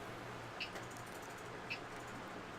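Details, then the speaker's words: Replacement ANET A6 3D printer main board, powered on with a blank screen and not connecting over USB: a short high chirp repeats about every 1.1 seconds over a faint hum, even after reset. Board not responding; cause unknown. "if I reset it it acts like if I'm just plugging it back in and we'll just chirp like that forever"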